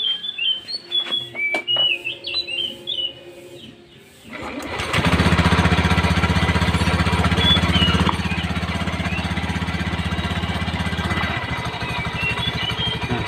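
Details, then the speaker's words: Honda Beat FI scooter with rough noise at idle from the CVT: starts and idles with a coarse metallic rattle; owner suspects a damaged bearing or plates rubbing in the CVT. "teman-teman bisa dengarkan seperti ada pelat baja, seperti ada apa ya, seperti ada pas tuh, seperti ada bearing yang rusak, seperti ada pelat-pelat yang kena di bagian spiti atau gimana, seperti gitu ya pandangan saya."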